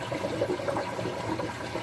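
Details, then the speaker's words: DIY 60 cube reef tank siphon drain, valve opened a couple more turns: uneven watery gurgling and bubbling until a big trapped bubble purges; air pocket gurgling in siphon drain. "did you hear that that big bubble just purged there must have been a bubble trapped in there somewhere"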